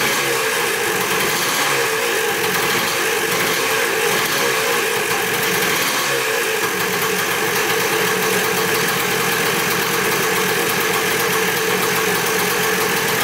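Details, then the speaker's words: Dirt bike bought in a four-bike lot, first start after checking the petcock and carburetor and refitting the spark plug: a crisp, rapid two-stroke crackle at a steady idle with no misses or surging; normal idle. "i'd say she runs pretty good awesome that didn't take much"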